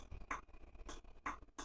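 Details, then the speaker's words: RO water purifier with 24V SMPS supply present but the unit not running: after straightening the tank float and moving it by hand, crisp clicks come from the float's micro switch about every half second, showing the float setting is proper. "यह अंदर से आवाज आ रहा है। मतलब ये ball की setting proper है। सेटिंग प्रॉपर होने की वजह से इसकी प्लॉट के माइक्रो स्विच के अंदर से यह आवाज आ रही है।"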